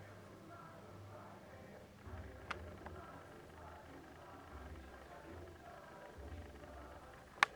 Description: So I bought this camera at first, but returned it due to the clicking sound you can hear on every video. It might be from autofocus, but I anyways wanted to return it and take that Sony you can see in my other video.